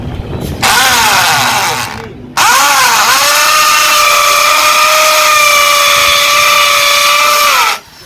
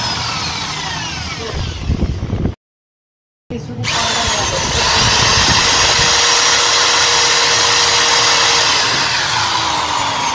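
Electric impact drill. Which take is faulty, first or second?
second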